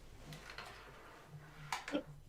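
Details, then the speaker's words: Lazy Susan turntable rotated: faint, irregular clicks and ticks, a lot of noise from the ball bearing, pointing to a dry or worn roller bearing; quiet when set on the carpet and stood on. "there's my ball so when i'm when i when i turn like that it it makes a lot of noise"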